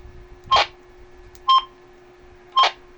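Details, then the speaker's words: Baofeng UV-3R Plus handheld radio, 14 years old, after disassembly and repair, transmitting on UHF: three short, crisp two-tone beeps about one a second over a faint steady hum; normal transmit beep tones. "Roger, Roger. Roger. Ayan, okay siya."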